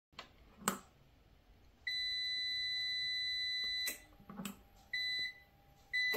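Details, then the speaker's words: nJoy Cadu dual-battery (24V) UPS with worn batteries, that shuts off under any load: steady high-pitched beeps, about two-second tones with gaps, battery indicator blinking; battery fault alarm. "And yeah, that was it. Just beeping and uh the battery blinking."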